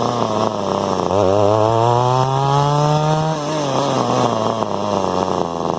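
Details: Echo SRM 2100 two-stroke trimmer just after replacing carburetor, fuel lines, purge bulb, filters and spark plug; buzz climbs hesitantly, sags and falls back on throttle; owner suspects low-jet carburetor tune needed for bogging.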